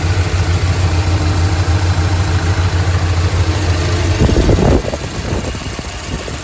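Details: Light, fairly even tick about three per second over a low idle rumble, then a handling knock; valve train ticking at idle, suspected lifter tap, possibly fading, cause unconfirmed.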